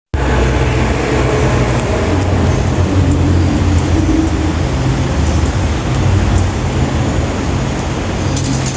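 Heavy low rumble and hum, steady and even with no clear knock, a fan running much louder than normal.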